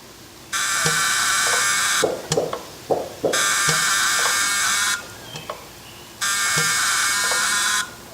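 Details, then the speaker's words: Cushman Binder engine, flywheel turned by hand: sharp electric buzz bursts about 1.5 seconds long as the timer touches its contact, giving a strong hot spark; buzz coil ignition working normally. "you'll hear the buzz coil come on there it's off there it's on and then when you adjust this timer the timing is advanced"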